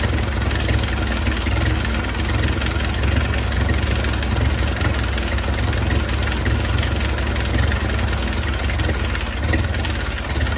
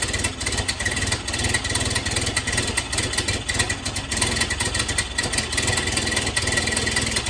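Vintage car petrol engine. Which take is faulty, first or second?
second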